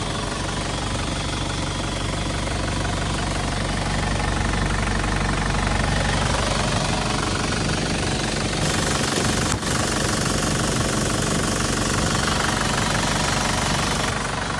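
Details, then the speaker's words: 2005 Isuzu D-Max 2.5 Ddi SLX turbo diesel, original engine, 112,296 km, one owner, no heavy loads: starts first try, steady healthy idle with even injector clatter about four beats a second, no misses or surging. Normal idle. "ครับผมลองสตาร์ทให้ฟังเสียงเครื่องนะครับสตาร์ทติดทีเดียวครับ"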